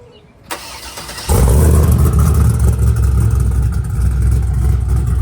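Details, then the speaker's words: Chevrolet Silverado 6.0 V8 rebuilt after failing lifters, new Texas Speed cam kit, exhaust fitted: starter catches, deep loud choppy lumpy idle with steady cam lope; healthy normal idle. "Alright guys, so there you have it. You know, hope y'all like how the truck sounds, how it came out."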